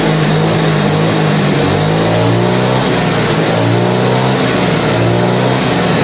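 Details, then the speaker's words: Yamaha Mio carbureted scooter after refitting the air filter: revs now climb and drop evenly from low through mid to high with no surging. Compression still seems weak, the timing part may be worn, and the exhaust shows white smoke. "Oke kalau untuk abang untuk kenaikan RPM dari rendah Tengah atas ini sudah mulai normal Ya udah seirama"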